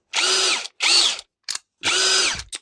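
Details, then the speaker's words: Cordless drill PSB 20-LI (reassembled after repair for slipping in both speeds): short whirring bursts with rough ratcheting crunch as each spins up; speed selector not fully engaged, between gears, gearbox crunching. "c'est le moment de vérité normalement le sélecteur il a pas bougé j'entends craquer"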